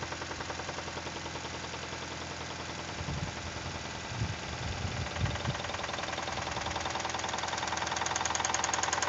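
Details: Toyota 2E engine, knocking began after a 5-minute run at 155 km/h by speedometer: regular knock about three or four per second over the engine, growing louder as revs rise; internal knock, cause unknown.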